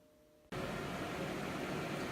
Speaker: by the way if you hear that little fan that little buzzy noise that is the converter because I have every light in this place turned on right now so it's probably running a little double overtime